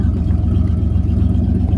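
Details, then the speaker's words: 1988 Chevrolet Camaro IROC-Z V8 with 5-speed at a Copart auction, engine just warming up with good oil pressure and the tach pegged. A light rev gives a deep, loud, rough, unmuffled pulsing burble. Seems mostly missing exhaust, not yet checked. "Yeah, okay, that just sounds like more lack of exhaust than anything, but we gotta check it out, don't we?"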